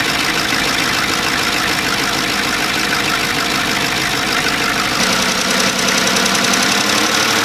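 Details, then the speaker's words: 2014 Chevy Silverado 5.3L, first start after the AFM/DOD delete and engine reinstall: steady idle with fast, uneven light valvetrain ticking, sounding like failed lifters. Driving it to let the lifters pump up didn't help; cause unconfirmed. "that is definitely not the sound that we were going for that is the sound we were trying to avoid by doing this"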